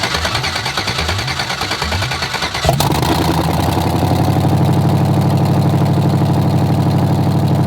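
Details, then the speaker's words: LS V8 swapped Chevy S10, first start after VATS-delete tune and fuel fixes: cranking about three turns a second, catches cleanly, steady even idle; runs fine. "i'm honestly just gonna yank this one for now it's only been like 10 seconds but i ain't trying to melt these off first day dude it runs though like i wanted it to run"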